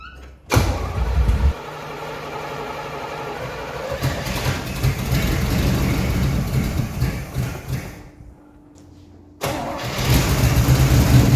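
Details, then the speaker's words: 1982 Trans Am 305 V8, unrun for 12 years, on carb cleaner and poured-in gas with the carburetor leaking fuel: it catches with a loud burst, runs unevenly, dies, then fires again; suspected dead fuel pump or vacuum loss from the leak. "It doesn't want to stay running. Maybe the fuel pump's not working."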